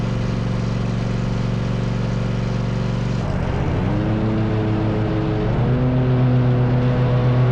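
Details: Rescued zero-turn mower running after repair, with the pulleys checked and the carrier refitted. Steady drone dips briefly near three seconds as load comes on, then recovers and runs smooth; this is the sound it's supposed to make.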